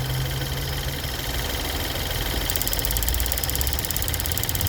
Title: Ford Fusion 2013 1.6 Ecoboost Ticking noise, Problem found BAD purge valve #fusio #ticking #ecoboost